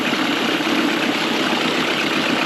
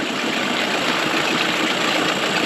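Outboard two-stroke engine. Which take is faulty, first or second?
second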